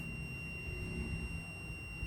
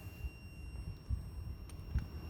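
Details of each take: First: Two-door refrigerator defrost timer tested with a multimeter: a steady, unbroken high continuity beep over a low hum as the contact moves from terminal 4 to terminal 2, feeding the compressor. The timer is still good and usable. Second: Two-door refrigerator defrost timer tested off the fridge with a multimeter while the shaft is turned: a few clicks, then a steady high continuity beep holds. The contacts are closed.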